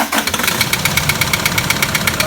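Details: 2007 Toyota Land Cruiser Prado 120 1KD diesel, 230k, just started: a sharp even knock about eight times a second over a rough cold idle; a heavy internal knock, blocked oil pickup suspected, not yet confirmed.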